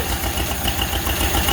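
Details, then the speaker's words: Model A Ford Roadster Deluxe four-cylinder, running again after 37 years, timing set by hand: low, even thump about five times a second with steady rhythm and no misses; idling nicely, sounds great. "Model A running. 37 years later. Sounds great."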